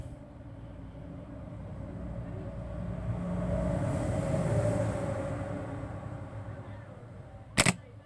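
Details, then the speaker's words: Volkswagen starter on the bench, new replacement starter, wired straight to battery positive: hums up slowly and weakly, never brisk, then clicks off; solenoid clicks, owner suspects a flat battery or weak solenoid. "Та законтачую на плюс він крутить на щось не дуже бодро таке в мене вже було того разу"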